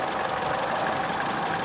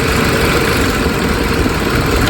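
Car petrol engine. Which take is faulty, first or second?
second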